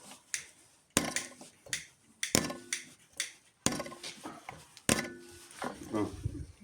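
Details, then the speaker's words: DF 404 G2 tractor diesel injector bench-tested after all four nozzles were replaced; the owner reported an explosive sound on sharp throttle. Sharp, crisp pops about once a second on each pump stroke with no dribble, at opening pressure 2005. Normal injector spray chatter. "Заміна всіх чотирьох розпилювачів. Так має працювати повністю справна форсунка."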